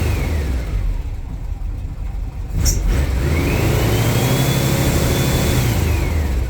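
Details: Engine fitted with Pulse Jet Ignition plug adapters and long-reach plugs, running rich on 52s and 123 mains, engine cold: revs up and down with one sharp exhaust pop mid-run; backfire, owner attributes it to cold engine.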